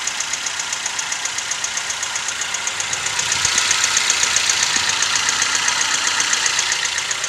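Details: Toyota 1NZ-FE engine at idle: sharp, even ticking about four per second, slightly louder as revs rise; top-end knock, owner told timing chain or VVT-i coupler may be the cause, unconfirmed.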